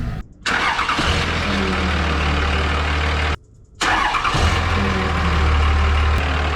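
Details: 5.9 Cummins 3rd-gen diesel, first start after installing a Cool Hose intake hose replacing the factory tube and muffler: cranks, catches, pauses, fires again and settles into a steady, even idle; no difference noticed at idle.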